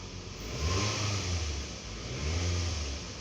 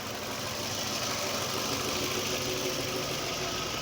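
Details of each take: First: 2009 Toyota Camry after misfire repair (codes P0300, P0302, P0303; fuel pressure about 46 PSI): two smooth rev swells with an even exhaust note and no stumble or popping, so the misfire seems gone. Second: 2009 Toyota Camry with P0300/P0302/P0303 and a non-working fuel gauge; fuel pressure measured about 46 psi. The petrol engine idles unevenly and hunts with an irregular low pulse from misfires on cylinders 2 and 3.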